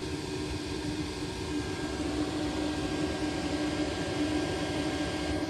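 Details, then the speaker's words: Autoterm Air 4D diesel heater running off a 12 V EcoFlow power-station socket: steady fan whoosh with a faint constant whine, smooth with no stutter; normal, though the voltage sagged to about 12.5 V under glow-plug load. "Right, so no issues running it off the power station, so we can shut it down."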